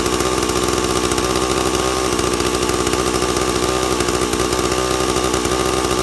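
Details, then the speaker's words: 2-stroke chainsaw with an impulse diaphragm carburetor, tuned by ear: screams at steady high revs with no load while the high-speed (H) screw is set from lean to slightly rich, after the low-speed jet was set a touch rich. "then make the high so it's a little bit thick a little bit rich and you'll hear it as I tuned it here"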